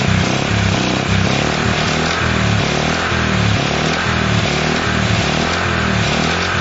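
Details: Honda CL70 single, jets already raised 73 to 75 and 38 to 40: uneven, lumpy idle beat with wandering speed that won't hold clean. The idle screw is far in and the idle resets after throttle; cause suspected, not confirmed.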